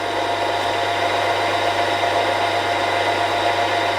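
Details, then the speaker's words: Milling machine after spindle bearing replacement, preload and end float set, run at highest spindle speeds (high one and high two) where noise occurred before: steady even hum with clean tones, earlier chattering noise gone; bearings now healthy. "so that's high number one so it's really the highest speeds where i was getting the noise by one and high two and i've got to admit that sounds a lot better"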